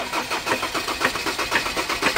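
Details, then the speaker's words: Ford Ranger diesel that won't start: harsh, uneven knocking bursts several times a second as it cranks and tries to catch; high-pressure pump tested strong, injector knock from water-contaminated injectors. "Op op op. Ang damage. Injector yan buddy."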